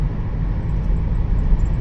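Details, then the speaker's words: 2000 Chrysler Grand Voyager minivan at 55 mph highway cruise after repair of bad, noisy wheel bearings: steady low road rumble, no growl or speed-rising hum; quiet, healthy, normal cruise. "55 is dead silent. Oh yeah, this is nice."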